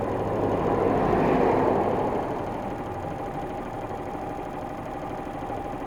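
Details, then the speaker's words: Honda Little Cub 88cc with a recurring noise since last year despite repairs, owner reports front clicking and a dragging feel mostly at 35 km/h or more and high revs: single idle with quick even ticking near 220 per minute; cause unclear. "On dirait que ça traîne... et un bruit de claquement... Vous l'entendez, ce bruit, hein ? Ces bruits apparaissent souvent quand je roule à 35 km/h ou plus..."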